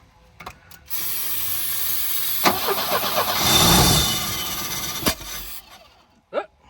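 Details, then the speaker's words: Volvo 745 Turbo that sat abandoned; the fuel pump won't run even when jumped. The starter cranks at an even, steady speed for about four seconds with no knocking, but the engine never fires: crank, no start. "go again it sounds good I mean it's not it doesn't have any knocking or anything"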